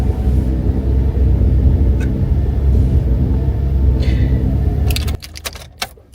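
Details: GMC Acadia at startup: heavy, uneven, lumpy rumble that chokes and cuts out; rough start, possibly caused by an oil-clogged air intake, with the purge valve as another suspect.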